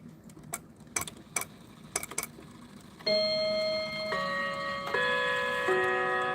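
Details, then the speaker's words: New Haven Inglewood clock, spring fully wound: only a few sparse, uneven ticks with long gaps before the strike bells ring; barely running, cause unknown, clock oil suggested. "Then going to the back, it just doesn't want to run. Right. You see it's barely running at all."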